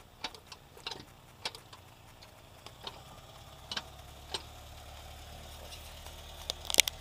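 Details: VAG AAM 1.8 75 hp engine: faint sharp ticks at an uneven beat over a very quiet engine; engine knock, source not yet pinned down.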